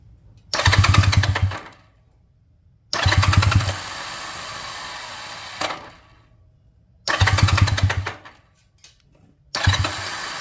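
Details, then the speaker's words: 1978 Honda Twinstar CM185T being revived, choke on, points just cleaned for weak spark: three short bursts of starter cranking, engine never catches; no fuel reaching the engine. "That sounds great. No getting any fuel to it. We got the choke on."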